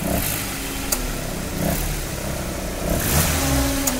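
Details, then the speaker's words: Maruti Suzuki Baleno: a humming, worn-bearing-like sound when revving or pulling away in gear, rising with revs; belts removed one by one to isolate compressor, alternator or water pump, AC compressor bearing found at fault. "Complaint क्या है जब य गाड़ी start करते हैं और गाड़ी start करके जब गियर में डाल के गाड़ी उठाते हैं या रेस करते हैं तो अलग ही हमिंग साउंड जैसा आता जैसे कोई बेरिंग गया हो या कुछ गया हो ऐसा साउंड आता है"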